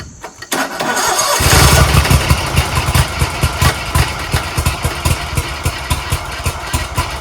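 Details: Scag Tiger Cub 48-inch zero-turn mower with a fuel pump not drawing fuel to the carburetor, choke on: starter cranks at a steady beat, pulses slowly fading, never catches; Walmart battery tests around 11 V, power too low.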